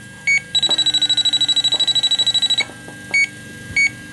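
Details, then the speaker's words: 2005 Chrysler Town & Country, refrigerant leak detector on its most sensitive setting at the patched 5/8" rear A/C suction line: a rapid run of even high beeps, then slow single chirps, detecting only a trace leak; the patch is judged good. "We're detecting, you know, a little bit, but my gosh, this is the highest, most sensitive setting."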